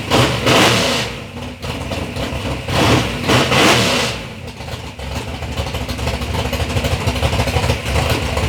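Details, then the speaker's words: 3rd-gen Camaro with a big-block Chevy V8 on its first start-up after years of building: deep lumpy burble between throttle blips, pulling cleanly without misses; the motor sounds good and healthy. "even after this you know we but initially we got to hear the motor run sounds good sounds healthy"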